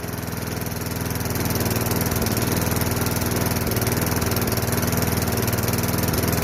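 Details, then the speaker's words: Craftsman push mower with 5.5 Tecumseh single-cylinder engine after sitting 10 years, running evenly with no surging or misfires after unclogging the carburetor bowl nut jet and straightening the brake/kill-switch cable. "so seemed to be we didn't have to take off the whole carburetor we just had to unplug the bowl nut jet"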